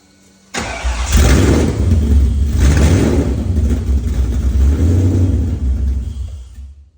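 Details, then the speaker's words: Cammed, built Ford Terminator engine on first start, cold, open headers, no wideband: catches sharply and settles into a strong, steady lumpy idle with deep even exhaust, no knocks, oil pressure very high; sounds healthy. "open header that sounds good dude she sounds healthy healthy unit right there"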